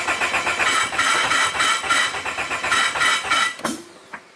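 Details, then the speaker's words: Turbo Honda Civic with bigger fuel pump and injectors, fuel tank near empty, cranks fast and unevenly about three beats a second but won't fire; owner suspects too little gas for the upgraded fuel system. "this doesn't want to crank over now but again this is a bigger fuel pump bigger injector so i don't think i can let it go that low that would definitely be an issue trying to crank it"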